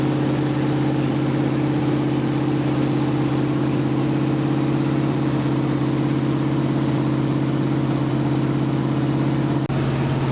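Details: 1980 Dodge short-bed truck big-block V8, first run in 14 years, during cam break-in after converting from points back to factory electronic ignition; steady fast idle, smooth unbroken drone, no misses or knocks, normal running during cam break-in.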